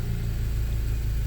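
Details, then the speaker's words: BMW E90 N54 cold idle after cleaning VANOS solenoids for a VANOS code: deep, steady, smooth rumble with no ticking or misses; healthy cold idle. "Yeah, it's cold out, we know. Right, things seem to be good right now. So I'm going to let it run for a while."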